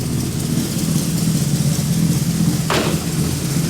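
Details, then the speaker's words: Freshly rebuilt V8 in a classic GMC squarebody truck at first fire-up during flat-tappet cam break-in, timing about 8–10° BTDC, after fixing a ruptured transmission cooler hose. Deep, even burble at idle with no misses, ticks or knocks; runs healthy. "And uh it's running real good. Sounds nice."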